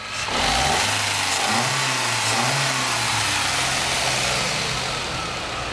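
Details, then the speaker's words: Ford Fiesta/Ka petrol after idle air control actuator refitted and set via scanner: engine blips up briefly then settles to steady, even idle under loud hiss; normal idle restored, no manual adjustment. "agora com atuador ligado pode ver que ele mantenha marcha lenta"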